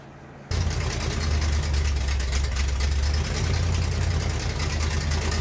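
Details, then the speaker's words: Newly built Pontiac 400 on the stand during break-in, fitted with a borrowed Mustang carburetor: uneven, lumpy, stumbling idle; owner suspects a huge vacuum leak on one side, as three cylinders there are not heating up, or valves not opening. "What this thing's telling me is it has a major vacuum leak. Like huge vacuum leak."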